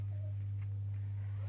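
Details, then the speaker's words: Boss ME-25 guitar multi-effects processor on adapter into a sound system: thin steady high whistle over a low hum from power-on, unchanged by volume or pedal effect on or off; constant whine noise from output. "कैसा आवाज़ आ रहा है, ची करके। हम volume बढ़ाते हैं, घटाते हैं, आवाज़ सेम ही है, कोई चेंजेस नहीं है।"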